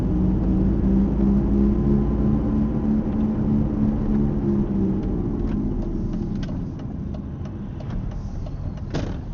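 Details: Mercedes-Benz SLK R170 while driving: low droning hum over road noise that fades as the car slows; failing wheel hub bearing.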